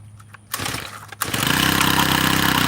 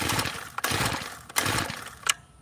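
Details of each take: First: Tiller engine with carburetor mixture screws adjusted: a few pull-cord cranks on choke, then it catches and settles into a fast, steady single-cylinder putter. It starts and runs after trial-and-error carb tuning. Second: Tiller engine that would not run, with a screw being backed out in quarter turns: three quick rasping pulls of the starter cord with no firing. Cranks but will not start.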